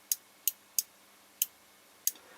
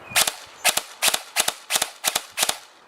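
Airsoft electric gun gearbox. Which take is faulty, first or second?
second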